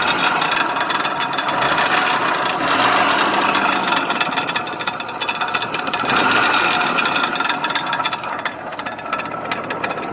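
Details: Jeep 4.0 L with over 400,000 km, running: fast, regular light ticking about four per second from the top end; owner believes a rocker arm is broken.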